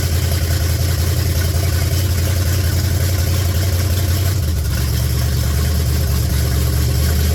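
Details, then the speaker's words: 1966 Buick Special with a 350 V8, just started for the first time: deep, steady open-exhaust burble settling to a smooth, even idle with no knocks or misses; little smoke, gas-smelling not oil, idles down well. "he e all right hey that's pretty fraking nice Sound and Music there isn't it sounds like the old 350 is going to be pretty good"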